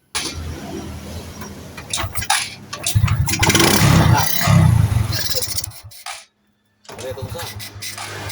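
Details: Honda RS 125 carburetted motorcycle after draining fuel suspected contaminated with diesel: cranks, catches, revs cleanly, drops, then settles into steady putter; starts and idles normally, no-start fixed.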